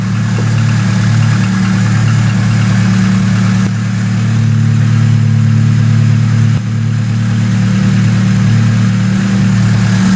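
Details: VAZ 2107 carbureted engine that stalled while driving and would not restart, after revival and adjustment (condenser, rotor, carburetor, ignition), choke pulled: steady even low idle with smooth beat, no stumbles or hunting; normal idle.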